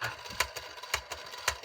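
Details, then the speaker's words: Jaguar T2026 four-transistor reel-to-reel tape recorder in rewind: hissy whir broken by heavy thumps about twice a second, one per turn, from a crystallized, hardened rubber idler tire with a deep flat notch; forward tire also notched. "that means there's a big big heavy duty notch in the rewind roller what about forward bad notches in the forward tire"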